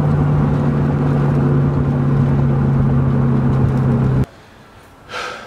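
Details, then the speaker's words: BMW E30 turbo front wheel bearings before replacement: loud steady low drone while driving, like tyre noise; worn front wheel bearings, replaced with new bearings and hubs. "They were just really loud. just making this like it's almost sounds like tire noise, you know, just that drone"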